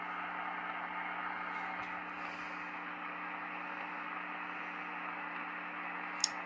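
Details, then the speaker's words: Swan 350 vintage transceiver with power supply, after all-new capacitors in the 350: even soft hiss with faint steady low hum, no crackles, after pulling out the Jones plug wiring at the back; receiver static now low and acceptable. "pull that out a little bit the Jones plug but it did deflect right away this time that's better okay okay I can deal with that I think"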